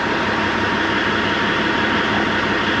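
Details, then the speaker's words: 1998 Freightliner Classic, Caterpillar 3406E diesel after new injectors and cups, previously dumping fuel into oil, warm: steady, even diesel clatter at idle, no knocks or misses; 68 psi oil pressure at idle, healthy. "sounds good runs good 68 pounds of oil pressure at idle um I'm happy with that"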